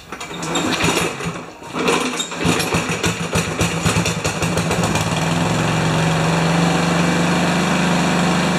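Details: Remington mower with Powermore single-cylinder engine, primer needed: pops into life and settles into a steady but low, lazy idle, running slow; owner suspects governor needs adjusting.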